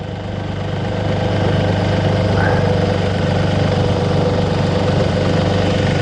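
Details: 2002 VW Polo 1.2 three-cylinder AZQ petrol after non-start repair; steady three-cylinder idle, even low thrum, no skips; normal idle.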